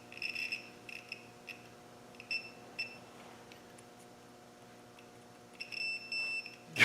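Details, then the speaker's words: Continuity tester beeping steadily through closed contact breaker points on a 2.25 engine as the distributor is turned backwards then eased slowly forwards to find where the points open. "what we're going to do now is turn the distributor backwards and you can hear the points singing away cuz they're now closed"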